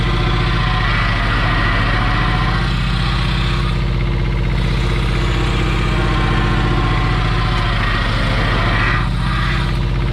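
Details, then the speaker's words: 1985 Kubota T1600 diesel garden tractor, 290 hours, testing repaired hydrostatic transaxle: steady even low diesel chug, no whine, groan or knocking from drive; normal running, repair seems to work. "seems like it works"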